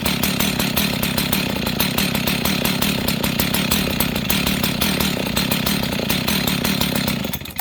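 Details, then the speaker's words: Husqvarna 61 chainsaw with the idle lowered until it is barely running: a steady, fast popping two-stroke beat, yet the chain still spins. The clutch drags, a common fault on this chassis, and the saw badly needs a new clutch. "Okay, friends, you see that? This thing is barely running, and it's still spinning the chain. Okay, so this is a common problem with this model of saw or this chassis."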